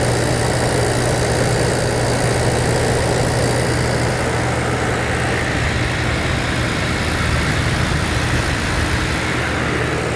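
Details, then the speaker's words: 1983 GE Carry Cool air conditioner, R-22, fan motor oiled and cleaned: steady low hum under a strong even rush of air blowing cold, no rattles or knocks; normal running. "Sounds good. Oh yeah, nice and cold. Smells really nice too. Just clean."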